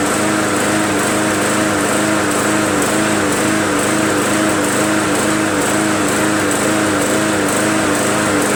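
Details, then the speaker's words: MTD Yard Machines 20" push mower, Briggs 300E, just restarted after carb clean and draining water from the fuel tank: steady high drone with gentle rise and fall about once a second, mild idle surge; owner suspects unclean carb or governor spring adjustment. "Serge is a little bit means that the carburetor is probably not a huntress unclean or it could mean an adjustment on the spring in the governor needed"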